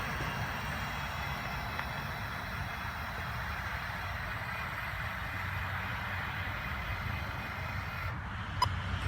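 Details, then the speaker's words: Mighty Mule 350 gate opener after repair of beeping every two seconds and failure to work: steady low motor drone as it slowly drives the gate, no warning beeps; normal operation. "get not the the fastest thing in the world but it works"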